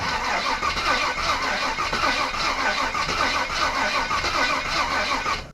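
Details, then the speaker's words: 1955 Willys wagon with a 350 V8, first start in a long time after new wiring: slow, uneven cranking that never catches, even with gasoline poured into the carburetor. Crank, no start; the engine is not picking up fuel. "It's not picking up fuel. No, no. Still not picking up fuel"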